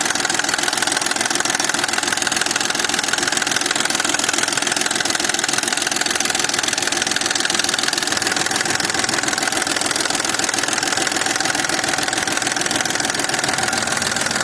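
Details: Engine with BDW code at cold idle: fast, even knocking, three to four beats a second, over the engine, present both cold and warm; source not identified.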